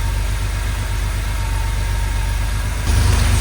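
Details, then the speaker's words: 1982 Porsche 911SC Slantnose flat-six, sat 20+ years, after a CIS fuel distributor clean, new plugs and fuel filter: a steady, even idle burble with no misses or knocks, running well though blowing heavy smoke, likely burning oil. "Oh my goodness, it sounds so good. Wow, that's a smoke show. So yeah, this thing is running money."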